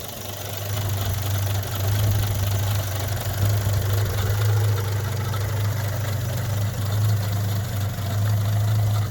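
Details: 1963 Rover P4 110 2.6 manual with overdrive, showing 10463 miles (unverified), idling after a quick start: low steady idle with the odd dip and stumble in the beat; a slight idle misfire, cause not confirmed.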